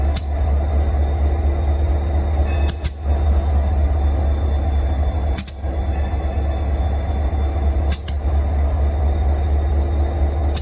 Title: Union Pacific SD40-2C Locomotive Idling (interesting popping sounds)